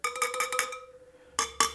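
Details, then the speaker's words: Triumph Tiger 800 spoked wheel running out of true, spokes tapped with spoke wrench: quick taps ringing at one pitch, then two dull taps dying fast; loose dead spokes, to be tightened half a turn to pull the rim. "okay that one right there you can hear it pretty dead that one's better that's real good that one's dead too another dead one two dead ones there so I've got some dead spokes on the other side here"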